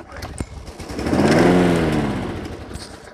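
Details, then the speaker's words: Toro recycler push mower that starts then shuts off: engine catches and revs briefly, then fades and dies within about two seconds; starts then stalls, attributed to not enough fuel getting through. "i hope you can see it that it will start and then cuts back off"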